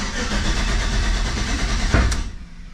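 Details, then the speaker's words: 1985 Chevrolet C10 with 5.3 LS swap, cold start, fuel pressure about 60: rough crank, a sharp single pop, then it catches and settles near 700 rpm; backfire on cold start, also stumbles and backfires under load. "you hear that backfire now it'll start good oil pressure"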